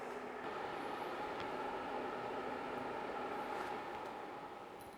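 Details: BlitzHOME BH-AP1 air purifier fan at maximum speed after detecting smoke, a steady even rush of air with a faint constant hum, no rattles or squeals; normal high-speed operation.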